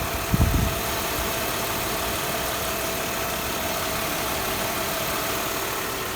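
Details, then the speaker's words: 2000 Mercedes E320 started after an oil change: a short thump at startup, then an even, steady idle with no shake or miss; sounds much better than before and is no longer shaking. "So let's crank it up. It sounds way better. It's not shaking anymore at all."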